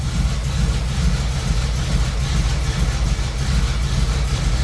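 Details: Small-block Chevy V8 on an old car that had sat, started with an AstroAI jump starter after some cranking: a deep, steady burble with no knocks or misses; a healthy, settled idle.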